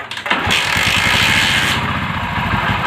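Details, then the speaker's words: Motorcycle that idles and starts but shuts off when revved (a mechanic had cleaned the carburetor): uneven, stumbling revs with a light ticking on the throttle, from the ignition coil leaking spark and misfiring. "இப்போ பாருங்கள், race பண்ணும்போது ஒரு sound ஒன்று கேட்கும். இதுமாரி இல்லை, டிக்கெட்டுக்குன்னு ஒரு sound ஒன்று கேட்கும்."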